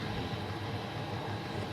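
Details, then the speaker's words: Newly installed Chinese diesel air heater in a UK self-build camper van: quiet steady whooshing hum from burner and fan, no clicking or surging, blowing out very hot air; running normally. "And yeah, I know you can't feel that now, but that is blowing out some extreme heat there."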